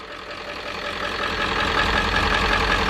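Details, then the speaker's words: 7.3 diesel van after starter replacement and bleeding air from fuel lines, started with starting spray: catches and settles into steady even clatter, smoothing and getting slightly louder as it warms. Normal diesel idle. "shout out the Kris for no one [ __ ] there it goes we're up and running guys"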